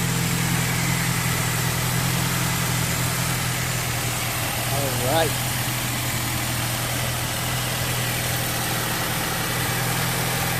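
Steady, even idle with a smooth low hum and no knocks, whine or squeal over it; engine runs healthy.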